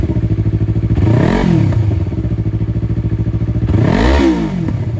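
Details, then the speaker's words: A Yamaha R3 on its first start with a newly installed Akrapovic slip-on exhaust gives a deep pulsing idle and two clean throttle blips, revs rising and falling smoothly. Much beefier than the stock exhaust: a normal, healthy twin. "Oh wow. Yes, this is what we needed. It sounds so much beefier. Way better."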